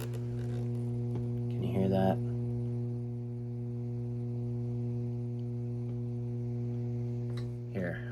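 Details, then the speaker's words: 1970s silverface Fender Twin Reverb valve guitar amp: steady low 60-cycle mains hum with a buzzy edge even with volume turned down, quiet on standby; suspected filter cap or other electrical issue. "But yeah, I do hear I do hear a hum. Sounds like a 60 cycle hum. [clears throat] Even with the amp turned down."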